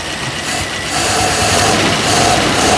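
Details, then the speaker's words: 1976 Squarebody, sat 20 years, idling right after its loose carb (two bolts missing, several stacked gaskets) was tightened down: a steady, even deep rumble with no stumbling or misses. Instantly better; the carb may still need replacing. "Instantly better. Just once we secure that carb down."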